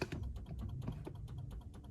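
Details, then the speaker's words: 2016 BMW F30 330e hybrid, early B48 engine, 200,000 km, cold day, drivetrain fault shown: fast light relay ticking, six or seven clicks a second, no cranking, because the aged 12V starter battery is too weak. "What the hell? Did you hear that noise then? That clicking relay?"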